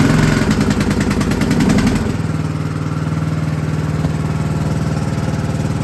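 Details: Filthy lawn tractor started with choke on right after a new battery was fitted: the engine cranks, catches and settles into a steady, slightly uneven single-cylinder putter at idle; it starts fine and runs.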